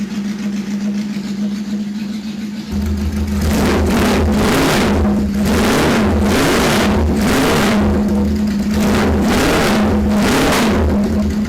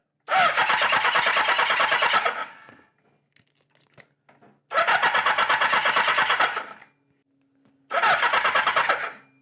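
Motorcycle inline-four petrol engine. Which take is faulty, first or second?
second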